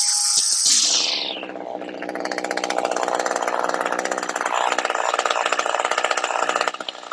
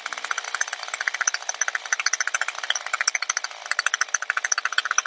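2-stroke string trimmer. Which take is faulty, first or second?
second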